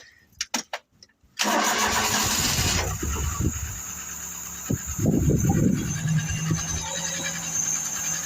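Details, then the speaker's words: Mk3 Ford Cortina Estate on a cold February day, started after cleaning a dull battery cable. Short crank, then the idle drifts up and down instead of holding steady: hunting idle, owner suspects the mixture, unconfirmed. "Oh, it's up and down a little bit. That's due to the mixture, I think. Not quite running right, is he?"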